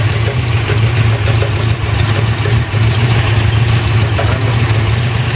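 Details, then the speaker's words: 1968 Camaro 010-block 360 Chevy, .060 over, in 1986 K20 4x4, new cam, lifters, oil pump, stall converter; idle, 60 psi oil, 160°F water: intermittent sharp clunks and dragging rattle, pronounced now; bearings fine, owner suspects flexplate area. "And it comes and goes. It doesn't stay the whole time. So that's what really bugs me out. Like right now, it's really pronounced."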